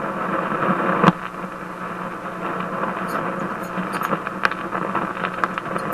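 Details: Warmed-up Simplex antique hot-chassis vacuum tube radio; constant hiss with sharp random crackles and pops, trouble seemingly local to the 6A7 mixer tube; crackling static, source not yet found.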